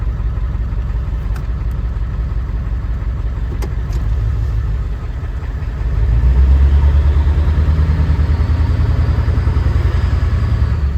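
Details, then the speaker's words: Ford 7.3 Powerstroke diesel truck at idle after a fuel pump replacement: uneven, loping beat that swells briefly, as if one cylinder is dropping out. Misfire persists; the new fuel pump didn't fix it, and the cause is unknown. "It's still off. Still a little bit off. Mean it. What else could it be? One. It sounds like one."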